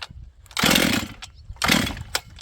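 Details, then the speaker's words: Auction-bought auto-tune chainsaw on full choke, pull-starting: two loud rasping bursts about a second apart that die away each time; it fires but won't keep running. Owner suspects he flooded it. "This thing seems to want to run, but maybe I'll put it back on choke again and see. You guys can hear it firing."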